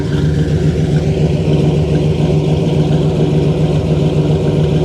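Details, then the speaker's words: 1968 Pontiac GTO V8 at idle, heard from the rear: deep, even burble, steady pulses near 214 a minute, no knocks or misses; a smooth, healthy idle with a subdued exhaust. "sounds pretty good"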